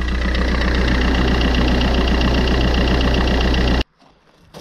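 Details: Fiat 500 bought with hidden defects, about 20,000 km, at idle before shutting off; faint dry scraping hiss over the engine. Owner suspects the rusty alternator bearing, or possibly the timing chain, unconfirmed.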